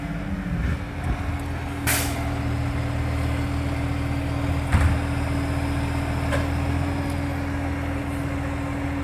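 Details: NAWMA FOGO 3520 diesel truck idling: a deep rumble with sharp puffing raps cutting through now and then, typical of a large exhaust leak.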